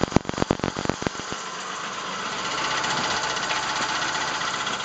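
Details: 1999 Plymouth Voyager 3.0 at idle: sharp, uneven knocks several a second at first, then a steadier idle. Suspected rod knock or valve tap, but a mechanic's stethoscope traced it to a cracked flywheel at the back of the engine.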